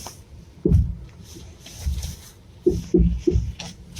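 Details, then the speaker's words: 2006 Kia Sportage: loud, heavy clunks, single and then in quick bursts, as the steering wheel is turned, coming from around the left front strut and felt through the body; failed front strut mount bearing. "вот такой [музыка] страшный звук щелчки он похожий на удары в районе здесь левой стойки где-то то"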